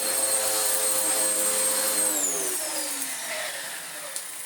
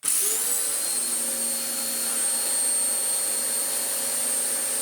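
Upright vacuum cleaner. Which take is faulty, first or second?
first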